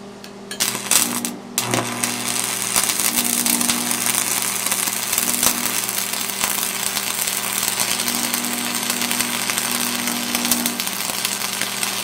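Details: Lincoln Tombstone 225 AC buzz box stick welder cranked to 115 amps: a crisp, steady crackle and sizzle over a constant low mains hum, with no sputtering. It lays a normal, healthy arc.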